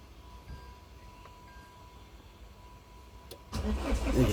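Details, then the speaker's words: Mahindra XUV500 W10 with starting problems, where the electrical connection keeps cutting in and out. Near silence with a faint hum, then the engine cranks and catches roughly with nobody touching it. The owner is sure it is a fuse problem; this is unconfirmed. "এই এই নিজের থেকে on হয়ে গেল, আমি কিছু করলাম না, নিজের থেকে এটা অন।"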